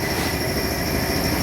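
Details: 1992 Honda Civic with noise at the front of the engine: steady hiss with a constant high whine from a worn idler pulley bearing; the bearing was replaced.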